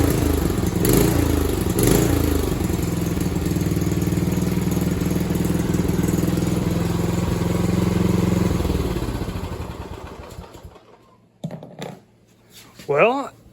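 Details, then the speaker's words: Scag Turf Tiger 61-inch mower, estimated around 2004, started on full throttle and choke with an old spark plug while still leaking gas; small single-cylinder thumps steadily for about eight seconds then shuts off, running evenly, no misses. "it actually runs pretty good um I don't know if it's going to fire that easy every time"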